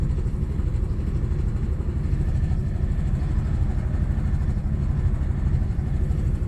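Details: Audi B5 S4 cold start misfire: low, rough idle with uneven, stumbling beat instead of a smooth hum while still cold.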